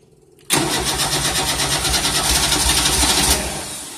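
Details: 1988 Tennant 255 Series 2 cranks but won't start: steady rapid starter cranking at about three turns a second, the engine never catches and spins down. The fuel pump sounds quiet and it may need fuel; the cause is not confirmed.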